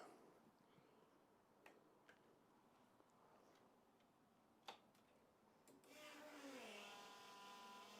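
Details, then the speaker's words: 1999 Gen 1 Suzuki Hayabusa after injector cleaning and seal replacement: quiet, then it catches about six seconds in and runs evenly with no popping, banging or misfire; before the clean it popped and banged like a misfire. "well there we go um she hasn't run for quite a while um properly and that sounds the best it's ever sounded um it's not missing it's not popping and banging"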